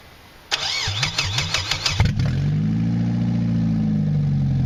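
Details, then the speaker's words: Mazda 626 first start after cylinder head reassembly: cranks about 1.5 seconds, catches, settles to very low RPM idle with pitch drifting up and down. Owner suspects the bad EGR valve causes most issues. Hunting idle. "it's got a little bit of fluctuating idle and really low RPM"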